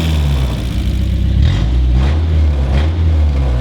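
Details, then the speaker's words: Mazda Miata 1.8 engine swapped into a Datsun roadster, first run in over a year, open headers through a 1-inch exhaust: deep, loud, raw blatty rumble with quick throttle blips; sounds bad but the engine runs, slight lifter tick noted. "A Miata motor with open headers through a 1-inch exhaust does not sound good, but it's running."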